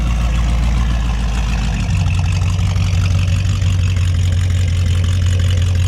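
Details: Roughly 5200 lb 1937 Chevy with a 250 six-cylinder, factory carb replaced by an aftermarket carb: a deep, even burble settling into a steady lower drone, firing smoothly with no knocks or misses; normal running.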